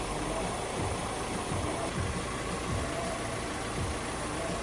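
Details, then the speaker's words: VW Crafter diesel idling after an oil change, started to circulate oil: steady idle with a light, regular mysterious tapping over the clatter; cause not identified. "so now I'm going to start the engine push the oil around a bit um have another look that doesn't sound good you hear that mysterious tapping noise"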